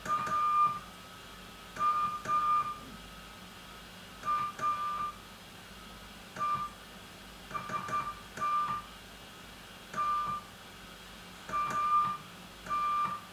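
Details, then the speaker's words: Old-school valve CW transmitter on 3.545 MHz, 80 m band, after adding two stabilizer valves to remove chirp: clean steady keyed tone in even dots and dashes, no pitch wobble at key-down; chirp cured, clean tone. "I managed to get that out of it because of two stabilizers valves. So you can hear the tone. It's a nice tone, isn't it?"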